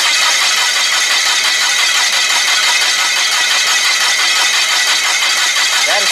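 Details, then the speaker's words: Komatsu (possibly GS20) with crank/no-start, no spark: loud even starter cranking with harsh hiss and no firing; spark measured at coil is really weak, resistance issue in cable suspected. "week that is weak really weak that's really weak on there"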